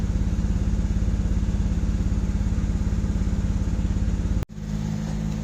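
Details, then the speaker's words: Engine idling about 20 minutes into a warm-up at 10 degrees, with an intermittent miss that went away by 24 minutes. Lumpy idle with a regular uneven chuff about three times a second as one cylinder drops out. Intermittent cylinder misfire at idle. "okay 20 minutes into this you hear one of the cylinders are down right now you just hear it missing"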